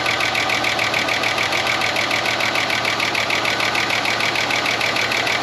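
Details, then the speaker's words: 30-year-old Ford Falcon one-tonner revived from a paddock, cold idle: fast, even metallic top-end ticking about three per second, very chattery; owner suspects a stuck lifter and a cylinder down, and will let it get hot to pump the lifter up. "Very chattery. It could just be a stuck lifter."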